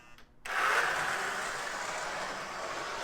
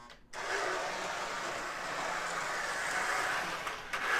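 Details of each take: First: Lionel #41 Navy switcher model locomotive after armature and worm gear cleaning; coarse raspy whir as power is applied, settling and fading as the motor reaches speed; quiet at running speed in both directions. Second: Lionel Navy switcher toy locomotive, a known "growler": smooth, even mid-pitched motor whir with brief pauses at each direction change, quiet at running speed in both directions, slight noise when first given throttle; normal running.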